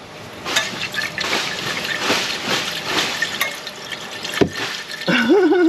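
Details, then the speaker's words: Liquid sloshing and trickling as the exhaust pipe is moved during rear sway bar end link replacement, for a customer complaint of knocking in the rear; water trapped in exhaust. "know if you guys can hear that but there's there's freaking water in that exhaust"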